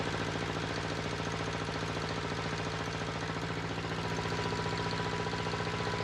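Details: Volvo Penta 2002 diesel from a 1987 Liberty Yachts Pied Piper 28 sailboat, cold, after repair (shims corrected, fuel bled): steady even clatter at fast idle, no misses or extra knocks; normal running.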